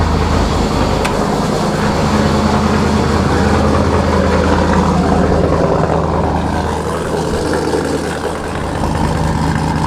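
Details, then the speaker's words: Camaro with Sniper EFI, cold start recorded from behind the car: loud, deep, steady rumble at raised cold idle, smooth and even, no knocks or misses; healthy engine. "my god this thing is so loud i hope y'all can hear me this thing is so rowdy when you first start it up"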